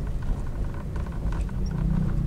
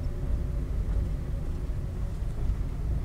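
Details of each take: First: Daihatsu Sigra / Toyota Calya type M: light irregular Second: Daihatsu Sigra (type M) on test drive after dashboard repair: low, even road rumble in cabin, no ticking or buzzing from dash; cause likely wiring under dash contacting a panel, rattle gone.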